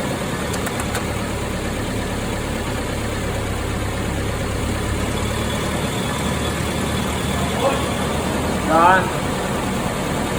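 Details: 2008 Suzuki Jimny R72 manual gearbox, reinstalled after the top cover was refitted with a greased washer: a steady low drone persists in gear, including third; the hum remains and its cause is unconfirmed.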